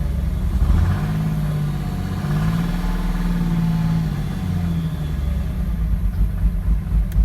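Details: 2006 Cummins diesel: idle with an uneven, loping rhythm rising and sagging instead of holding steady; symptoms appeared suddenly, owner suspects a bad injector, not a lope tune.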